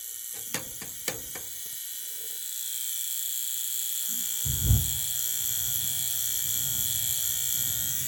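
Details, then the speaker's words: Weil McLain gas steam boiler after cleaning and new pressure gauge, pigtail and tee installed: a few clicks, then a steady high buzz with a thump midway, new since the work; source untraced. "I got that annoying sound it's driving me crazy because it wasn't making that sound before and it's not interfering with or is it"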